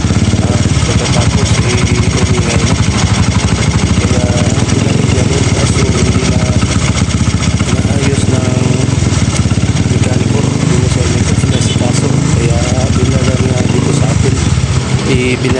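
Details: Honda XRM 125 single-cylinder motorcycle idling with a heavy, rapid rattling knock; a previous shop suspected the connecting rod; teardown found damaged, loose bearings (camshaft bearing cited).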